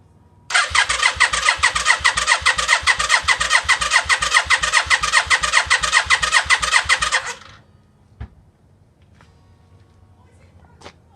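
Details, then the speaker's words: 1992 Yamaha Virago XV535 after engine rebuild, first crank in 4–5 months with spark plugs removed and fuel pump disconnected: even, steady starter whirr, engine spinning over freely and strongly; normal healthy cranking before reinstalling plugs. "Right, so that's exactly what I wanted to hear. The engine's spinning over nicely, quite strong, and I'm going to reconnect t"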